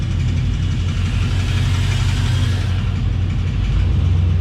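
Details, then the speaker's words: 1990 Chevrolet Suburban squarebody 4x4 with 6.0 LS swap, new true dual exhaust with glass packs: loud lumpy V8 idle with loose buzzing rattle; owner suspects missing gaskets between exhaust manifolds and pipe. "Yeah, we don't have the gaskets in from, you know, the headers, well, I mean manifolds to the pipe. That's probably where the rattle's coming from."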